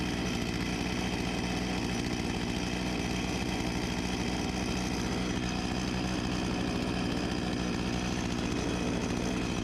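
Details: Husqvarna 254 G chainsaw (1989), after carb refurbishment and fuel line replacement: steady, even two-stroke idle holding without hunting or dying, maybe a touch fast; normal idle, later set to 3000 rpm.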